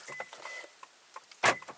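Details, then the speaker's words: 2003 Lexus LS430, door lock actuators cycling via remote: quick crisp clunks with a short whirring snap each time and pauses between; these actuators work, while the driver's side actuator fails to lock. "So you hear that the doors are locking, right?"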